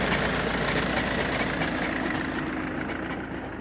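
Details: 2013 VW Jetta TDI diesel cold start with the hood open: a rough, fairly regular rattle at about 3.5 beats per second under the clatter at cold idle. Owner is listening for dual-mass flywheel trouble, though the car engages, accelerates and shifts smoothly. Source unconfirmed.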